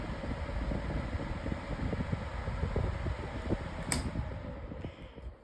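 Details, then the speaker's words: Lasko 18-inch plastic table fan (2026 version) on high speed: a steady, even whoosh with a smooth low motor hum and no ticks or rubbing, until it switches off and coasts down well. Normal running. "has pretty good oscillation with this motor or blades um like part set or something. And now we'll bring the fan up to high speed."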